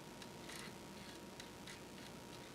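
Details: Amiga 1200 floppy drive after head cleaning and board repair, booting Workbench 2.1: quiet, crisp ticks in irregular bursts as the head steps over a soft spin hush, no grinding; healthy, though the shaft still needs regreasing.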